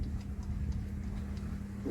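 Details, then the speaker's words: Douglas engine cranked by a drill, plugs wet, timing being questioned: steady drill hum with even compression pulses about five a second; turns over with good compression but never fires. Cause not confirmed. "I just wish it would at least fire. We just haven't even had a burp out of it yet. I mean, you can hear when that crank on that drill that's got compression."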